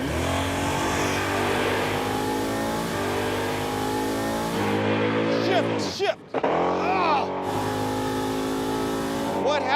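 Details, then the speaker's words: Crusher Impala drag run: engine howls at high revs, then the note breaks up and briefly drops out at the shift; driver lifted thinking it wasn't shifting, shift took longer than expected. Cause unknown. "there I lifted because I thought it wasn't shifting and then it shifted it takes longer to shift than I anticipated"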